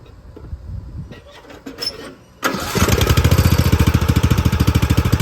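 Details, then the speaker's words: Poulan XT gear-drive 42in lawn tractor fitted with a new Chinese carburetor. It cranks, catches, then runs with a nasty misfire, popping and surging. The owner hoped it was just the spark plug rather than carb jetting. "all right y'all so we started the mower up and it ran and it had a nasty misfire you could hear it popping and surging"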